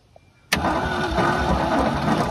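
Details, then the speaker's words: 1966 Ford F-250 V8, sat about 31–32 years, weak starter, fuel in the carb bowls and ether used: steady cranking grind with no firing; no spark because the wire to the distributor is shorted. "all right I think we found a problem the wire going to the distributor must be shorted out somewhere and that's why I'm not getting spark at the points"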